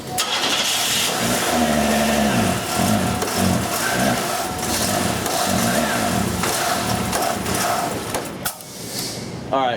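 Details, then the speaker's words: 1990 Buick Skylark that loses power as it gets hot until it barely runs, running seriously rich with black smoke and barely staying running: uneven idle with a constant rushing hiss from the exhaust, the classic sound of a plugged, melted catalytic converter. "it has a hissing sound to it which is classic plugged cat sound"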